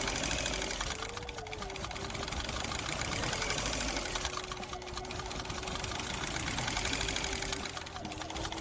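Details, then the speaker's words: Car running rough right after customer replaced own timing belt and tensioner: uneven, clattery running with irregular beat and rattle; timing suspected out, not confirmed. "This customer did their own timing belt and timing tensioner and then it started running like this. Can only guess that the timing is out."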